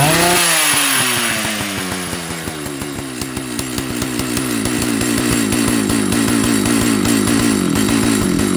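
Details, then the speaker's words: Old Jonsered 930 project chainsaw restarted with covers on and bar oil added: at high idle the pitch sags, climbs and hunts with uneven, pulsing firing, cause unknown. The owner plans to reset the carb screws one turn out. "Okay. Doesn't like something. Not sure what yet. So, we'll see if we can get it to stay running."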